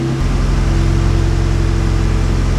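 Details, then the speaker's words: Toyota MR2 with swapped 2GR-FE engine and Rav4 fuse box, after wiring cleanup; steady even idle around 1300 rpm, too high, charging 13.8 V; owner suspects wrong park/neutral pin wiring, unconfirmed. "So she's definitely idling high. I'll have to look into that. You see right there, 1300 RPM."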